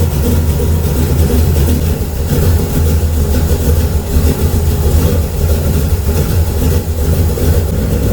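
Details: LS V8 in a Camaro, just fitted with a 750 carburetor; deep, lumpy, loud but even idle with no knocks, misses or stumbles, a healthy engine.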